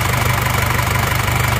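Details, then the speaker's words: Isuzu Panther L1740 diesel, warmed slightly, after piston ring and cylinder liner replacement; steady, even idle with slight shake but no stalling or knock; harsh noise was from worn liners, injection pump normal. "Goyang Dikit itu yang penting tidak mati-mati mesinnya ini dibawakan juga katup-katup deliverynya tapi enggak apa-apa ini teman-teman suara mesinnya seperti ini"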